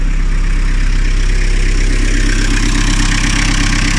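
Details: Diesel car, engine rebuilt 2–3 years ago after overheating, came in with a rattling noise. After a new belt, idle is steady and even with a smooth low rumble and no chirp, squeal or rattle; it sounds healthy.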